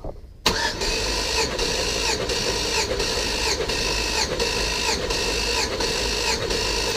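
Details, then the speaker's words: Compression test on an auction Chevrolet Tahoe engine, all spark plugs out so the starter spins the engine freely; fast, even cranking with regular pulses, gauge reading about 175 psi on this cylinder: normal, healthy compression. "the other thing is all the plugs out there's no load on the starter so it's pretty much just free spinning the motor that's about 175"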